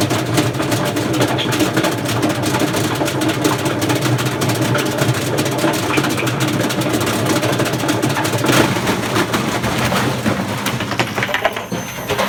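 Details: Hotpoint FEW12 washing machine, motor hot-wired with all controls bypassed, empty drum without ballast, spinning up: harsh gritty roar with rapid clattering from badly worn drum bearings.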